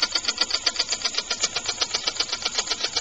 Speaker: And get a lot better, a lot smoother operation, much better low speed operation, as you can see.